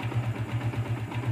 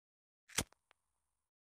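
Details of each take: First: Yamaha Vixion Advance single after repair: oil pump wasn't lifting oil to the head, wrecking rocker-arm shaft seats and valve caps and causing harsh ticking; torn seal replaced, gasket residue cleaned, oil now reaches head. Even, smooth idle, no ticks or knocks; healthy again. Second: Yamaha Vixion Advance, before repair: harsh, rapid metallic ticking like it's falling apart; oil not reaching the head destroyed the rocker arm shaft mounts and valve tips.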